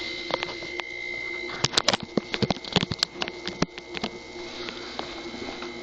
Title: Haier HNSE032BB Bad Compressor Knocking